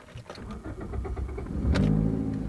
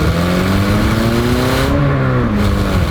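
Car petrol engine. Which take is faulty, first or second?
first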